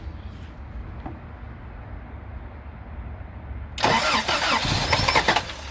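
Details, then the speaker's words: 3rd gen Toyota pickup with fresh battery, cranks with compression but won't start: fires for about two seconds on sprayed carb cleaner then dies, so ignition works; fuel starvation from a fuel pump not running, to be replaced. "you can see here it starts up not very much but you hear that it's getting uh once it's got fuel it will fire up so it's not an ignition issue it is a fuel issue"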